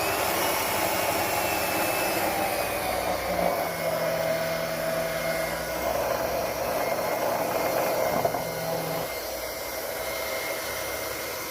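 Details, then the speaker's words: Liberty Model 331 pump after repair, shaft and centrifugal impeller reinstalled, running unprimed: even, smooth mid-pitched whirring hum, no grinding or rattle; much quieter than before, healthy. "It's not primed, but we'll just see how quiet it is now compared to the other videos. Much quieter."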